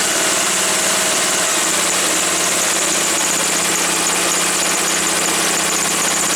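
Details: Woods 6180 zero-turn mower, 18 hp Briggs & Stratton Vanguard twin, after carb cleaning: even, steady idle drone with no stumbling or surging once the air filter top was removed; owner suspects a plugged, oil-saturated filter.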